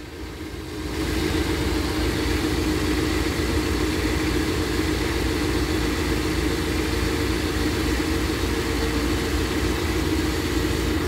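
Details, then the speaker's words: Engine's first start after head gasket replacement, valve cover on, lifters oiled, new oil filter, cold: starts right up, smooth even idle, quieter, no knocking; possible exhaust leak on one side; normal idle. "all right i'm about to start it up i hope i did everything okay here goes nothing [Music] [Music] so far it sounds quieter"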